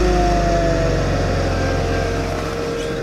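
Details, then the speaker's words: Mercedes-Benz C240 cold start at about 32 degrees after sitting since Wednesday (started Sunday): steady even idle with smooth low pulse, no knocks or misses; settles cleanly, sounds healthy. "Mercedes has it been started since Wednesday and it's Sunday today so kind of an old stir and kind of a cold start about 32 degrees so it's kind of cold"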